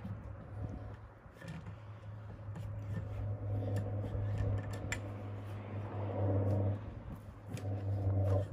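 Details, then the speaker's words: RV truck bought non-running at auction: deep low rumble with loud raw drone rising and falling; exhaust unusually loud, owner says catalytic converter was stolen. "sounds like that because somebody stole the calorie converter"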